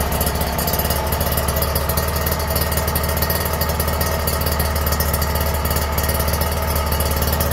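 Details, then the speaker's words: Kawasaki Ninja R two-stroke after an engine rebuild, with the carburettor tuned and the exhaust refitted: smooth, fast, even idle with a steady low buzz and no knocking. Sounds healthy. "Ini udah kita tuning kita langsung coba Cheek sound ya Suaranya kayak gimana ya oke halus"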